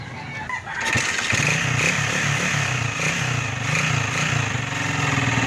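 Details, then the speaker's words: Honda TMX 155 motorcycle single, started up: loud clattery idle with heavy top-end rattle; excessive engine noise, cause unknown, engine opened for repair. "Sabay-sabay na nga palang sira. Maingay mga idol, oh. Ingay, sobra. Tayo na. Tayo na, maingay nga talaga yan."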